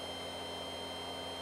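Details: 3018 CNC with an upgraded 400W spindle running at 5000 rpm: steady, even high-pitched whine with faint mains hum underneath, spinning smoothly with no roughness; normal run, much quieter than the old spindle.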